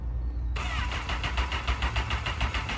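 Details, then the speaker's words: Crashed Craigslist Honda CBR liter sportbike, key switch bypassed with two wires, on choke, held wide open; catches after half a second, ragged uneven bursts never settling, won't keep running. "It almost run, brother. Dude, put her on the chip. It won't stay running."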